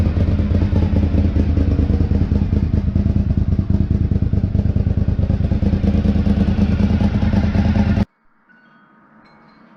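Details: 2003 Honda RC51 SP2 V-twin warming up after rodent-damaged wiring harness repair: loud, lumpy running with sharp chuffing puff about three times a second over exhaust note, exhaust blowing at rear-cylinder manifold joint, rowdy.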